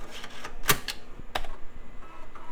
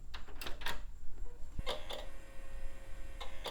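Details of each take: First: Early-2000s Compaq/HP bubble PC on first test boot: the floppy drive gives sharp dry clicks and ticks as it seeks normally and boots DOS, with a CMOS error because the old battery was completely dead. Normal floppy boot read. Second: Compaq Presario 5000 early-2000s translucent desktop, first power-on after dust cleaning and refresh: hard drive makes irregular sharp ticks and chirps over a low hum while spinning up and sounds very sick, then recovers and the system posts.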